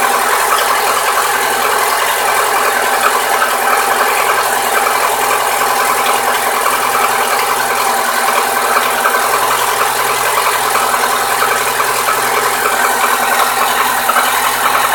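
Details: New Lada Niva 21214 on a cold engine. A dense, fast metallic clatter heard close to the engine near cylinder 4 on the manifold side, which disappears once fully warmed to 70-80°C. Cause unknown.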